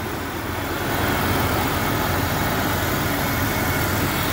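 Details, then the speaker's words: Police-model Jeep Cherokee XJ just started after six months, cold day, new crankshaft position sensor fitted: idle picks up slightly then settles smooth and even, no misses or knocks; running healthy. "wow burn like a kitten smell the gas oh that's great news great news"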